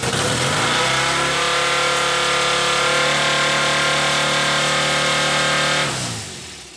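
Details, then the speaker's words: 1967 BSA Spitfire (A65) after fitting electronic ignition: the engine screams at a steady, very high rev without dropping to idle, then cuts out; owner suspects the carb setup or a throttle cable jammed open. "the bike started after I'd stole the electronic ignition albeit with a very high revving problem that I had which possibly down to the carb setup or I'm thinking now it might have actually been one of the throttle cables that had got jammed open"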